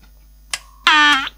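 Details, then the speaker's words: 1970s Crown portable cassette recorder under repair, after turning it inside out: a short click, then a harsh electrical buzz about half a second while the tape stays still. Not driving; owner suspects capacitor problems. "oh it's making funny noises again let's turn the volume down it's not driving so turning that inside out didn't really help"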